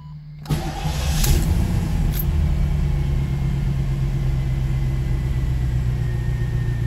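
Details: 1987 Chevrolet Corvette C4 that sat 25 years, after fuel pump replacement: starter whirs briefly, then the engine catches cleanly and settles into a smooth, even idle with no misfire or knock. Normal idle.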